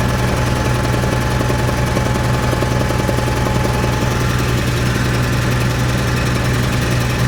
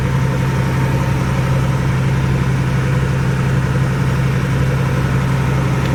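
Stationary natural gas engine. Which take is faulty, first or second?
first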